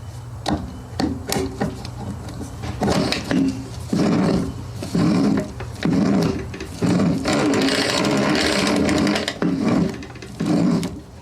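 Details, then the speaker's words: Honda HRX217 lawn mower with a sticky rear drive, wheel spun by hand: uneven scraping bursts about once a second, dragging rather than spinning freely. The rear drive shaft is rough and needs more grease. "But that that sounds rough. So, it needs more grease in it."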